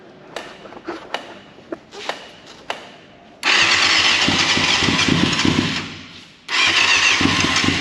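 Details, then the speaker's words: 1989 Yamaha FZR600 Genesis, unstarted over 4 years, new battery: a few clicks, then even fast cranking in two bursts, never fires. Suspected little fuel with the tank low, maybe needing reserve; fuel pump silent, float bowls not yet filled. "it's about getting no fuel from the fuel pump is it on reserve we didn't put much in"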